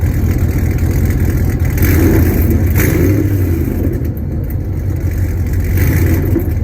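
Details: Hennessey Camaro V8 with long-tube headers, start and light revs after a wash: deep burble with a loose, puffy edge. The exhaust leak is on the passenger side after the headers.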